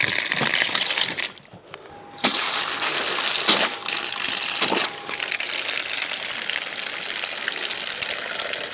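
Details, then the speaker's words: Lake-fed outdoor water pump system being put back into service in spring: a steady rushing hiss with brief sputters and burps as air and brown water clear, then a smooth, even flow showing normal running. "Alright, that looks good. I hear it coming. There she is. That's good. Oh, little burp. Some brown water coming out, but now she's running good."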